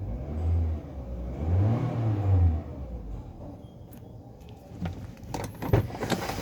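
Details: 2024 Nissan Livina, a little over 5,000 on the odometer, after repairing a cut wire and damaged fuel line that caused a no-start: engine picks up cleanly on a couple of blips and settles back without stumbling; runs healthy now.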